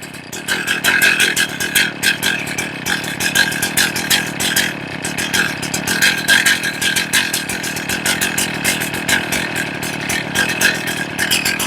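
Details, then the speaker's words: Chainsaw low-circuit tuning: a small two-stroke idles with even but lazy firing pulses at about 2,200–2,700 rpm, which is too low. The low-speed screw is being turned in to lean it and raise the idle. "That's 2,400, 2,200, 2,500. It's too low. 2,700. I'm going to try to lean this out a little bit and see if it goes up."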